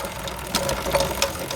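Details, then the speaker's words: Chinese 200cc Honda-clone quad bike: irregular dull clunks, about three in under two seconds, over a light idle; chain checked fine, play in the rear axle points to worn rear axle bearings. "So I reckon the clunking sound is the bearings inside of that thing."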